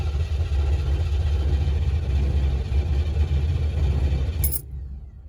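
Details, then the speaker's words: 1955 Chevrolet / Canadian Pontiac during rewiring, MSD distributor: even cranking rumble about four beats a second that never catches and dies away; fuel present but no spark, because the distributor ground wire was not hooked up. "it's got fuel i can smell it it sounds like magnetic spark what the f no at least it turns over okay figured out what i did what i didn't do was hook up the ground for the distributor"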